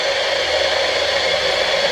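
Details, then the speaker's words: Sony ICF-2001D radio under repair, needing a new 6.275MHz crystal: flat, steady hiss with a faint thin tone and no station; local oscillator has drifted off frequency. "Now if we flick this again, you can hear it's gone off frequency."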